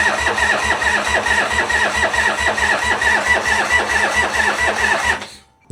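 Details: 1985 Harley FXWG with China CV40 carb, in neutral, after refitting gas tanks: steady starter whir with even compression pulses about two a second for five seconds, never catching; cranks but won't fire, owner suspects too little fuel, switches to reserve.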